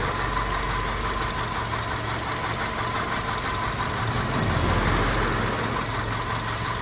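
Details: VW Golf 5 engine at idle: uneven clacking about three times a second over a busy idle; engine knocking, cause unclear.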